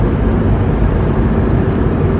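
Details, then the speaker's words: 1998 Ford Expedition at speed: a steady, heavy low roar dominating the cabin that gets louder the faster it goes, from the driver's side front. Worn front wheel hub assembly bearing; both hubs are being replaced. "And the faster you go, the louder it'll get, because the wheel hub is spinning faster."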